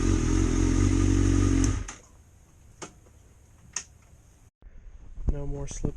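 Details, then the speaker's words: 2005 Suzuki GSXR 750 accelerating after transmission repair with worn gears replaced; engine pulls strong and even for a couple of seconds, then drops away, with no slipping or clatter. Normal acceleration. "sixth gear she rips still gotta be patient but so far so good"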